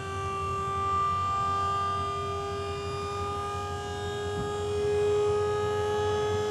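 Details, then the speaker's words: Diamond C MDT mid-size dump trailer hydraulic lift raising a load of dirt, second stage shifting to faster third stage; steady mid-pitch pump whine holding even under load; normal. "Here in a minute you'll hear it change pitch again, and it'll go to the third stage, which will end up being a little bit faster again."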